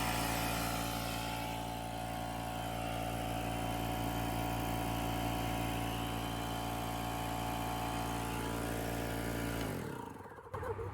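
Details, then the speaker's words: Fortress 6-gallon 175 PSI Harbor Freight air compressor, about 4 years old, stopped holding pressure two months ago: a steady motor drone and pump chatter at an even pace that never labours or slows, then it cuts out; runs but builds no pressure. "Yeah, so it's not building pressure, so I'm about to take off the top, and I'm gonna try to figure out what's going on with it."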